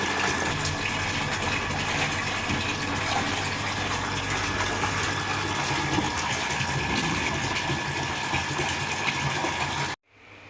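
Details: Orient self-priming water pump with aluminium winding and frame, full-load test recirculating water, about 6 ft suction and 20 ft delivery; constant motor hum with faint steady tone and water rush, no knocking or grinding; running normally.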